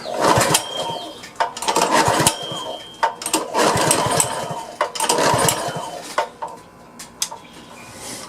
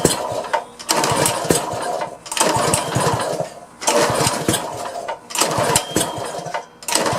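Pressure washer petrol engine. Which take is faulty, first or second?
first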